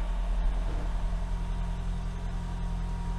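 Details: 2012 Toyota Camry hybrid on its first start after swapping the stock NiMH battery for a lithium pack: steady, smooth, even petrol-engine idle with no knocks, misses or rattles; no error codes, a healthy idle.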